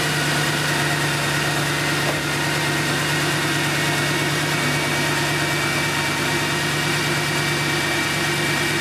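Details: Mercedes C63 AMG M156 V8 started with fan refitted, following a frayed serpentine belt: steady, even idle with smooth low hum and constant pitch, no knocks, squeals or chirps; healthy running engine.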